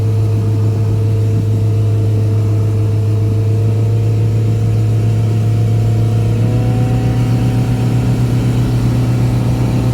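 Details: Boat outboard, back on after repairs, trimmed and run wide open on the lake near 5000 rpm and about 50–52 mph, above its 3500–4000 rpm cruise; mic behind the windshield. A strong, steady roar that rises slightly in pitch: a normal wide-open-throttle run.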